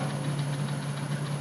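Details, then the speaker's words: Jet 16 mill spindle running on a VFD: steady motor hum and thin high whine with a faint rhythmic squeak as the main spindle drive pulley belt bounces and vibrates the machine; owner suspects the pulley V-grooves run untrue, not capturing the belt; not confirmed. "you can see this main pulley belt bounces around pretty good causes somewhat of a vibration on the machine you can hear it it's kind of"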